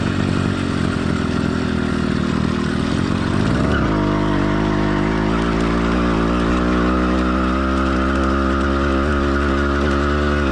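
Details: Warm two-stroke motorized bike kit engine, stock or lightly modified, single-speed, single-circuit carburetor: revs steadily, then settles into a slightly uneven burble around 200 beats a minute; mild four-stroking, normal running.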